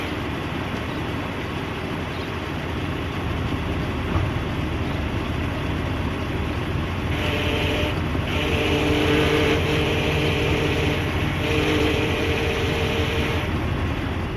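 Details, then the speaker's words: Jeep Grand Cherokee making noise when the steering wheel is turned, power steering fluid level checked. A thin whine comes and goes with steering over low road rumble; power steering pump whine. "it's been making some weird noises when I turn the steering wheel as you guys can see and hopefully I was able to demonstrate that good for you guys"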